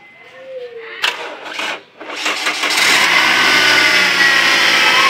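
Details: Toyota Altis gasoline engine with hard-starting problem: starter churns a couple of seconds with a stumble before catching and settling; cause not evident.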